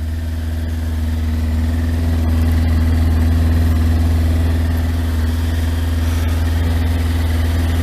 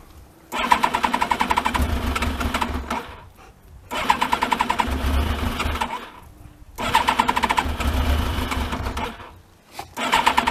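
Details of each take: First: Yamaha Thunderace, started after long storage with no coolant in it, run briefly before a water-leak check: a steady, even idle with no knocks or misses; it sounds smooth, though it is probably running out of petrol. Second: Thunderace motorcycle, not started for ages and no coolant in it, being checked for a water leak: three long cranking bursts of about three seconds each, never catching; it normally starts straight away.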